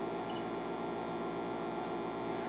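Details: Late-1950s Admiral 329 tube record player (117 V, 60 Hz) brought up on a variac, drawing 20 W: low steady mains-pitch hum through the speaker as tubes warm.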